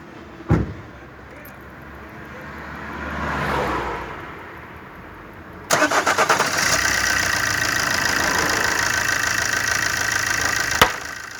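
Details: 2009 Opel Corsa D 1.3 CDTI 75 hp diesel: short crank, then it catches and settles into a loud, busy clattering idle. Owner finds it very noisy and asks if normal; no clear cause.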